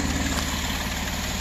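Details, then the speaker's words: 2009 Jeep Wrangler 3.8L V6 6-speed manual after repairing cylinder 2 and 5 misfires (shorted coil, burnt PCM coil driver) with a repaired PCM: steady, even, smooth idle with no stumbles; running on all cylinders. "put it back together clamp it up let it sit and try it out tomorrow and the jeep is alive"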